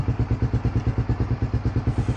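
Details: Raider 150 Fi motorcycle idling steadily after a battery replacement: even single-cylinder thumps about eight a second with no misses or knocks. The old battery had stopped the push start working and made the lights flicker; it now starts with one click. Normal idle.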